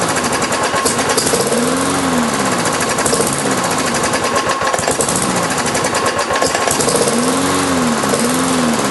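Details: Briggs & Stratton engine on a Lawn-Boy mower deck, sat since March, fresh oil, 89 octane with Marvel Mystery Oil: struggles to catch, then runs with a choppy rattle and surging beat; owner suspects carburetor diaphragm.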